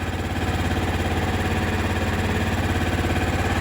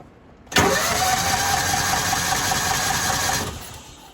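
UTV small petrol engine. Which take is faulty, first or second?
second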